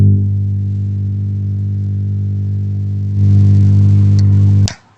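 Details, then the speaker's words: MUSIC DJ MM20B speaker before repair: loud constant low buzzing mains hum with a gritty edge from the rear of the unit when plugged in, steps up once then cuts out; cause not yet found, filter capacitor checked and not swollen. "มีเสียงบรื่อเสียงฮำด้านหลังของเครื่องเสียปลั๊กแล้วมีเสียงบรื่อเสียงฮำนะเพื่อนๆด้านหลังอเนี่ย"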